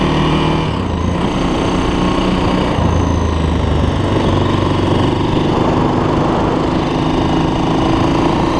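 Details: 2006 Honda TRX400EX Sportrax hybrid build, first ride after heat cycles: the single cylinder runs smooth and steady at an even pitch with no knocks or rattles. Freshly assembled, the engine runs good and sounds healthy.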